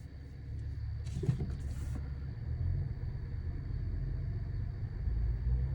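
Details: 2015 Honda Accord V6 automatic while driving: steady deep low-pitched drone in the cabin with nothing higher riding on it; source unknown.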